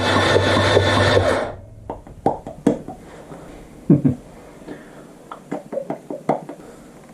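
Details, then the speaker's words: Suzuki GN250 during reassembly, starter motor powered directly through the solenoid with a jumper: a brisk, even whir for about a second and a half, then it stops; the starter spins freely and works. "like milking a cow alright so the starter works which is good news"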